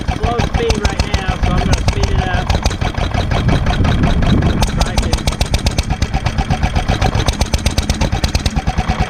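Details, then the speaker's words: 1946 International Harvester LB single-cylinder hit-and-miss gasoline engine, freshly rebuilt, just cold-started on choke with hand crank, running at low speed; even regular firing, steady: normal cold running. "all right we're starting our up cold for the day grab a hold of the crank handle pull it out push down on choke cold may need a little more gas"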